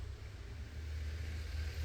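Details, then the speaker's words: LG inverter washing machine 26 V BLDC drain pump motor on an inverter simulator, speed raised by potentiometer. Steady low hum with an even smooth note, no rattles or scraping: normal running at raised speed. "Aquí hacemos una prueba que tiene suficiente potencia, aunque no es recomendable de frenarlo bruscamente. Con este potenciómetro aumentamos su velocidad."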